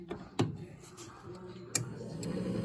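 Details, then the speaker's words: Coleman Presidential DG807BDTA mobile home furnace after pressure switch replacement (old switch did not close, three-flash code): sharp click as the new switch closes, another as the inducer motor hums up; normal pressure switch closing. "oh yeah you heard the switch closed that time so we shouldn't it should be steady now"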